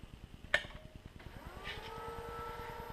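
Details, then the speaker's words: New Teknatool Comet II midi lathe during motor break-in, middle belt at highest variable speed: thin tone rises into a steady whine from the brand-new brushes bedding in; quieted after roughly 30 minutes of break-in. "When it first started up, and it should be on camera, it was a little bit louder. It was kind of whiny, and that was the brushes, the brand new brushes running on that motor."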